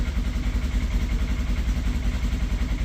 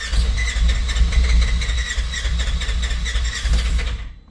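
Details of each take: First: General XP side-by-side, cold start after sitting unused about three months: deep, steady low thumping at about two to three beats a second, cold engine idling evenly while it warms. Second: General XP fuel-injected, unused for three months, cold start; about four seconds of steady starter cranking that never catches, battery weakening; it later started once brake pressed hard.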